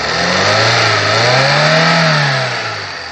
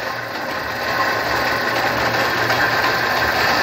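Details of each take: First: 1999 Fiat Palio after cylinder head rebuild, new water pump, belts and tensioners, fixing misfire and check-engine light; clean, even rise and fall in engine pitch as it's blipped, no misfire, knock or ticking. Normal revving. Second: 1999 Fiat Palio engine: uneven, stumbling idle with a hissy, lumpy beat that never settles before the engine dies; misfire from a cracked cylinder head, compression test showing 7.5 on cylinder four.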